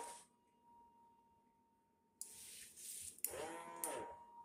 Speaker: So yeah, guys, just cleaning my floors with the Swiffer and check out this weird noise it's making.